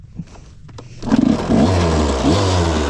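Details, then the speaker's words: Barn-find 1986 Yamaha YZ125 two-stroke dirt bike after sitting for years, oil added to cylinder, good spark; fires in about one second into a steady, even idle, a little smoky, likely burning off that oil. "starts right up a little Smokey at the back hope that go [Music] away might just just be burning off the oil we put down in"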